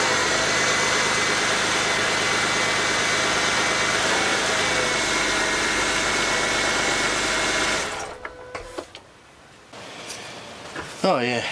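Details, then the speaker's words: After replacing the noisy top idler pulley on a Ford BA Falcon (without releasing belt tension), the engine idles with an even, quiet accessory drive, no chirp or bearing rumble; normal belt drive, much quieter like it should be. "notice straightaway the difference in the sound much quieter again like it should be"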